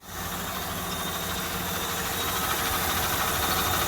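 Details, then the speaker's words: 2001 Dodge Ram 1500 just started after idler pulley replacement: engine catches and settles into smooth, even idle with no belt chirp or squeal; normal idle. "Sounds a lot better to me. I mean, hell, who knew it? We actually know what we're doing once in a while."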